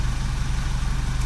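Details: 2009 Vauxhall Corsa D 1.2 petrol, idling after crankshaft sensor replacement fixed P0335 and the long cranking, with no fault codes left: steady, even low idle with a smooth regular pulse and no misses or knocks.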